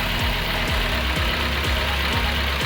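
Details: 2010 Chevy Monza with codes P0106 (MAP), P0122 and P1122 (TPS): the idle pulses in a heavy regular beat about twice a second, an unsteady hunting idle. The mechanic suspects the TPS, but it is not yet confirmed.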